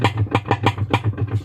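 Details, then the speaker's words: Top-load washing machine running, clunking from inside: rapid even clunking about seven times a second over low motor hum while agitating; pulsator knocking, with lots of debris and dirt found stuck under the pulsator when opened. "เสียงดังผิดปกติจากด้านในนะครับเวลาเราปั่นก็สภาพครับจะมีเสียงเนี่ยนะครับ"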